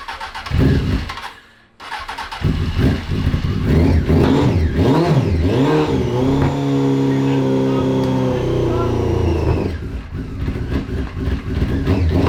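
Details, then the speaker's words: 2003 Honda 919 fuel-injected liquid-cooled four-cylinder, parked for years, started with brake parts cleaner: catches, then revs unevenly, stumbling and spitting between blips before a shaky idle; sputtering on stale fuel that is spitting out nasty stuff, to be drained and replaced. "that's some really stale gas so maybe we ought to drain it out yep and put some fresh gas in it"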